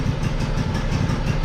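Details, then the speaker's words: Old lawn mower on ethanol-free gas, first start of the season after winter with battery working again and choke on: loud, uneven low chug, sputtering and smoking, running rough on choke until the sticking choke is pushed off. "do your sputtering and smoking over there let's go get that choke off of it"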